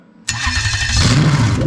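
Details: Lexus LS430 2000-2003 3UZ-FE VVT-i V8 with 5-speed automatic, first start on a brand-new engine harness: brief crank, then it catches instantly into a loud, steady open-exhaust roar with no misfire or stumble; healthy start.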